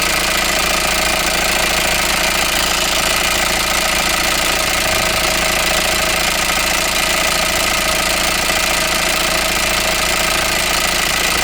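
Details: 2016 Ford Transit Mk8 2.0 EcoBlue diesel RWD, new wet belt, new turbo after shaft snapped, new oil and filter: loud busy metallic rattle over harsh clatter at idle since first start-up, near-quiet at 1750–2000 rpm; intermediate gear fine, no fault codes, cause unknown.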